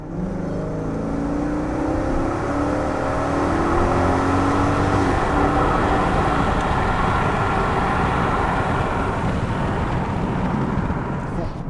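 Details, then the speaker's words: 2002 Alpina B10 V8S E39 Touring with 306,000 km, serviced after sitting since 2016, accelerating on the road: the engine note climbs smoothly with no stumble, pulling better now that a vacuum leak is fixed. "actually pulls better now because it doesn't have a vacuum leak very healthy engine this is a proper engine that op Pina buil amazing"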